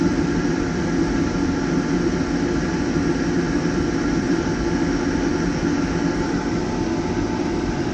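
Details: Waste motor oil furnace heating a garage: warmed, thinned oil overfeeds the burn chamber, giving a constant deep roar with rough fluttering rumble; rich burn, tank glowing red, black smoke, later corrected by restoring proper fuel flow.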